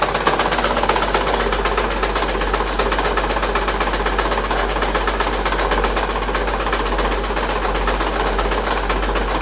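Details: 2008 Acura TL 3.5 V6 idling with a heavy, steady knock about four times a second; flywheel found moving, cause a broken crankshaft.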